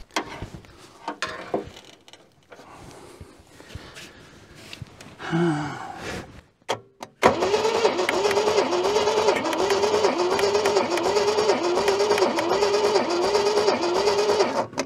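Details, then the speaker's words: Junkyard Holden sat for decades, carburettor fed fuel by hand, accelerator pump not working: steady starter churn about three turns a second with no firing; cranks but won't start, engine judged flooded. "think she's flooding. Yeah, that's it looks pretty flooded to me."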